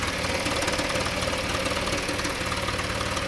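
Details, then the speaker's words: 2014 Dodge Journey 3.6 after cam replacement, check engine light on; runs smooth then after 30 seconds to a minute a regular light rattle about four per second appears, sounding like missing cylinders; source not determined. "there it goes can you hear that it's like a rattle and I can't"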